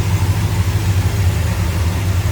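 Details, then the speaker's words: 1969 Dodge Coronet R/T hardtop, numbers-matching original 440 V8 with under 100 miles on engine and transmission, engine bay with hood up: deep even burble, steady loping pulse, no ticks or knocks; healthy warm idle. "again, 440, numbers matching, original 440 car, true RT. How good does that sound?"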